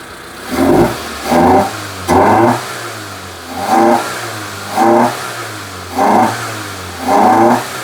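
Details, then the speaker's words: Proton Satria with fueling issues after fuel injector replacement, throttle body removed and cleaned: repeated sharp full-throttle blips about every 1.5 s dropping to a lumpy idle, loud intake roar; earlier popping and banging, cause not confirmed. "Right. That sounds good to me. Sounds bloody noisy."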